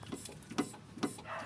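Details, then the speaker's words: Chevrolet Prisma rocked by hand: dull, hollow knocks about twice a second from play in a worn sway bar link (bieleta), a noise often heard over speed bumps. "então ela tem uma folga aqui ó falar ela fica uma folga aqui nessa parte aqui ó aí faz esse barulho"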